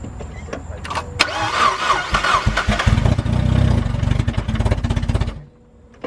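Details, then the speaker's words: NB-chassis car: it cranks, catches and idles briefly with a deep rapid knocking under the idle, then shuts off. Rod knock; engine must be pulled and repaired. "it has rod nook so I got to pull the motor and fix that and hopefully you guys will be there through the process of that"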